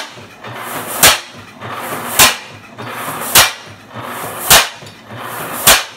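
Sharp exhaust cracks land evenly about once every second, a steady slow firing rhythm; this old single-cylinder engine is running properly.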